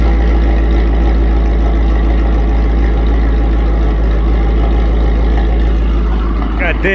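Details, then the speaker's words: Modified Mercedes SL55 AMG nearing completion, recorded in garage standing at the front: deep even idle with steady burbling exhaust, no belt squeal, pulley noise, ticking or knocking; healthy engine. "she sounds healthy dude that engine is whisper quiet no no belt noises or pulley noises or nothing that thing is dead silent when you're standing up here in the front of it"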